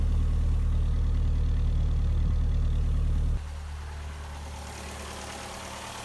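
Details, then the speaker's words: 1999 Ford Contour after coil pack replacement, check engine light gone, heard at the exhaust: deep, steady, evenly spaced exhaust pulse at idle with no misfire stumbles; normal idle. "you can also tell if it's misfiring or not from the exhaust pulses so here you hear a very you hear a very even exhaust pulse"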